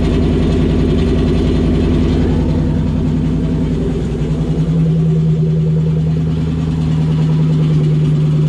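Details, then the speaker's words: '97 Mustang Cobra with exploded clutch: rough, uneven engine run settling into steady low drone; harsh, unhealthy noise, cause not clear. "oh that's obnoxious dude that sounded disgusting i don't ever want to hear that again"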